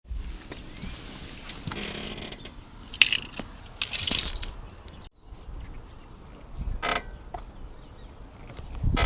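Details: Irregular creaks and sharp clicks from the suspension caused by a broken sway bar link; the fix was replacing both sway bar links.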